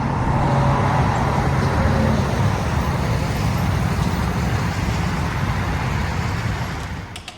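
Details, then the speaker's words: 2024 Ram 5500 Cummins diesel after engine replacement (harmonic balancer came off) with flat tappet conversion and Banks Monster Ram, driving: smooth even drone, steady road roar, no knocks or ticks; running good. "It's running really good. Got that new engine in there with that new flat tappet conversion for that 5th gen Cummins. It runs really good. Sweet. Sounds good, makes good power."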